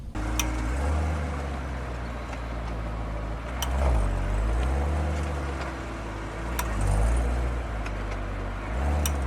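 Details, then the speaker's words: Corvette C7 rear left wheel, sharp popping/clicking (2-3 clicks) during acceleration and deceleration over engine drone; cause a slightly loose 36 mm rear axle nut, fixed by retorquing to 150 ft-lb. "i finally found out that it's the axle nut in there and so it's just a little loose and just enough space creates enough friction to make that popping the popping clicking noise"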